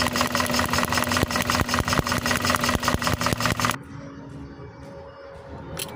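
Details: Toyota engine at idle: rough running with a steady thump about two and a half times a second and vibration; sounds like a misfire, cause not confirmed.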